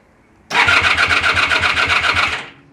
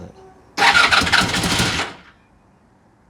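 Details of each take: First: Honda VF1000F revival after a new starter clutch was installed: brisk, even cranking with steady compression beats, not firing, fuel supply uncertain, oil pressure present; normal starter cranking. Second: Honda VF1000F motorcycle, old bike being revived, first start: lumpy, uneven bursts that surge then die off when revved; running on only two cylinders, the two rear cylinders not firing.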